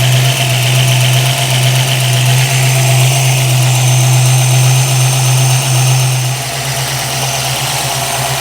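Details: 1965 Ford Mustang 289 V8 idling after installing new Holley 650 vacuum secondary carburetor and adjusting float height, before warm-up and idle mixture setting: steady, even smooth rumble, no hiss or stumble; steady vacuum, no vacuum leak.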